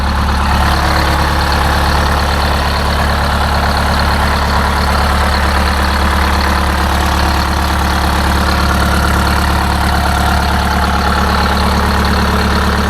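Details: Detroit Diesel 8V-71 two-stroke idling right after a new starter (part 6924N) was installed: deep, even rumble, firing evenly with no misses or knocks; healthy idle.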